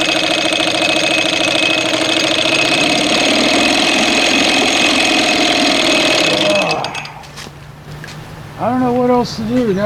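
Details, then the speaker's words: 1987 Evinrude 4 hp outboard, ignition spark just restored, carburetor believed clean: runs loud and busy, then dies abruptly when dropped into gear; the throttle can't be opened to compensate because idle races. Cause not found; later fixed by another mechanic. "I mean, you can't drop it in gear and it's going to die like that. And you can't jack open the butterfly because it's going to be racing in you know, in idle."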